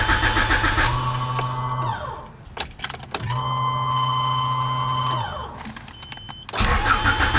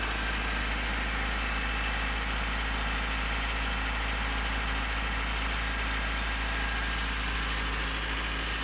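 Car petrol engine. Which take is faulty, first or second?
first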